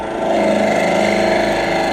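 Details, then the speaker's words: Lathe at about 1500 rpm knocking corners off a 2x4 square spindle: a dull gouge makes a rough rasping scrape with no clean cutting hiss and no shavings, tearing rather than slicing. "you can see I'm just not getting I'm not getting any kind of a call"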